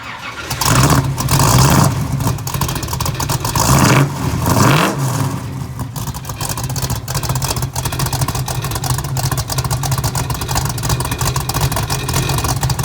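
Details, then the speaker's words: 1968 Pontiac Firebird convertible, frame-off restored, 400 V8 with Kauffman D-port aluminum heads, 700R4 automatic, dual exhaust: fires up quickly, a few sharp throttle blips rise and fall cleanly, then a lumpy but even V8 idle; healthy start and idle. "Man, that sounds good. Cut it off here."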